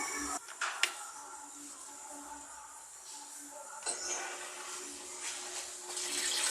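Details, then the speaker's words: Washing machine that would not fill or overfilled, after work on both faulty water inlet valves: water rushes into the drum at steady flow, no buzzing or hesitation; normal fill after repair. "Tá normal, vamos desligar."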